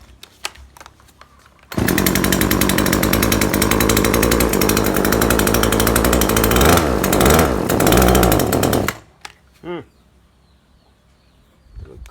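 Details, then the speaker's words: Neighbour's chainsaw that stops revving up after a period of use, already tuned elsewhere without success: it buzzes hard, then revs waver and sag. Bogs and won't rev up, as if running too rich despite needle adjustment; spark plug to be checked. "แต่มันแปลกเดียวมีอาการเร่งไม่ขึ้นครับมันเหมือนมันเหมือนน้ำมันหนาครับผมหมุนหมุนเข็มปรับยังไงก็อาการเหมือนเดิมเลยอ่ะ"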